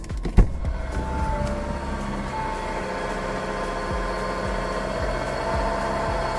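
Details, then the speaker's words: 2019 Audi Q7 3.0T supercharged (4M) at idle: faint rough marble-like grind under steady hum, mistaken for supercharger bearing; actually failed A/C compressor clutch pulley bearing, fixed by pulley replacement. "It was making that marble slight grind type of noise, but it ended up not being the supercharger at all."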